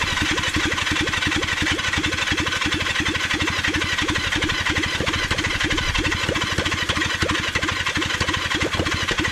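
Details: Kawasaki Zephyr 750 during restoration, carbs just refitted after an ignition fix, on choke: steady starter churn with even compression pulses, about three per second, never firing. Cranks but won't start because the tank has run out of fuel.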